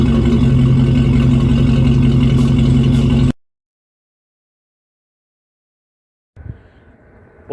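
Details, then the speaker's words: 1996 Ford F150 2WD, 302 V8 gasoline, automatic, after replacing the old leaking, rusted exhaust with a new better-flowing axle-dump exhaust instead of the side exit: smooth, even V8 rumble holding steady a few seconds, no ticking or blowing leak; normal exhaust note. "there you have it. Exhaust is all completed. Sounds good. I definitely like changing that up to the axle dump versus the side exit."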